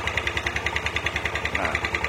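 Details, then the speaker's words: Yamaha Aerox 155 scooter with error codes 12 and 46 (charging fault), after clearing codes and starting: idles with a quick, slightly uneven ticking over the exhaust beat, sounding rough; rough idle, cause suspected, not confirmed. "cuman lebih bunyi kasar itu bunyi kasar akibat pemecahannya normal penyesuaian"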